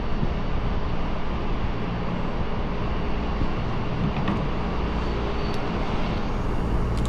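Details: AAON rooftop unit 3-phase condenser fan motor running with a steady, even low rumble and smooth airy rush, no knocking or rattling; normal fan operation, the earlier rattling having come from a broken, brittle rain shield (slinger) dropped onto the motor housing.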